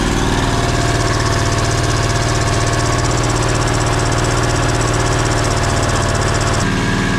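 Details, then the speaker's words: 670cc Predator engine in an E-Z-GO TXT golf cart on first fire-up, about two minutes in during a 10-minute break-in warm-up: steady, even, fairly quiet firing at one speed with no knocks or misses; runs well. "sounds good though getting it up to Temp and breaking it in happy it runs everything runs good"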